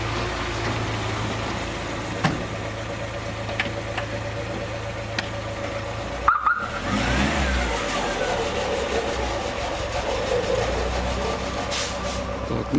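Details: VAZ-2106 (circa 1975) 1300 cc with electronic ignition, after adjusting valve clearances (0.15 intake, 0.17 exhaust) for top-end noise: steady, even idle with no ticking or tapping; the valve gear sounds quiet and healthy.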